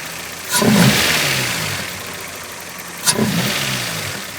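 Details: Well-built, run-in and warmed-up Toyota 4A-GE, fan on, idling about 800–850 rpm (owner's sometimes drops to 750): two crisp throttle blips rising and falling cleanly to idle, no knocks or rattles; normal revving.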